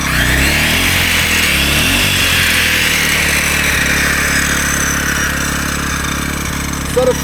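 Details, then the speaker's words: AiVolt 1600W (1260 running watts) gas inverter generator running a 15-amp circular saw, above its roughly 10-amp limit. The engine labours, sags, whines and wavers and the overload light comes on, overloaded. "15 amp saw is way too much for this. This can only handle about 10 watts."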